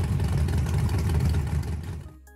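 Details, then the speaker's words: 364 ci small-block Chevrolet with GTR 102 turbo and Holley EFI, on the trans brake trying to spool: deep rumble builds, then abruptly falls flat and dies, as if on a rev limiter; too much timing pulled, turbo never spools. "that thing you heard it it just come up and then all of a sudden it died and so essentially it was like you hit a rev limiter"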